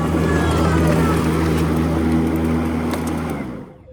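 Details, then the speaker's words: EGO Power+ T6 TR4204 fully electric 56V battery riding mower, 42-inch dual-blade deck, blades engaged at next-lower blade setting while driving: steady even whir like a strong vacuum cleaner overpowering the drive motor, then fading; blades running normally. "You know, when the blades are engaged, it sounds like a high-powered vacuum cleaner, and you can't even hear the engine when the blades are going. And regardless of which speed you got the blades on, the blade noise overpowers the engine noise by fa"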